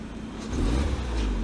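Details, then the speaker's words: 2008 Opel Astra (Saturn-badged, bought cheap): engine pulls smoothly and evenly while accelerating, no stumble or misfires; running perfectly fine. "running perfectly fine no misfires nothing"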